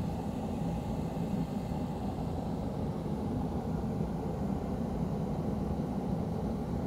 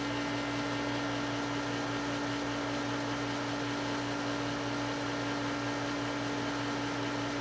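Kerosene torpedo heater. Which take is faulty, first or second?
second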